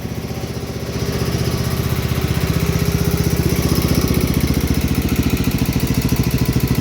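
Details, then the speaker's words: 1971 John Deere 110 patio tractor, 8 hp Kohler K181 single-cylinder, running after head gasket replacement, plenty of blow-by: steady idle thump with faint light ticking on top; a little valve tick, gasket leak gone. "Sounds like it has a little bit of valve tick in it."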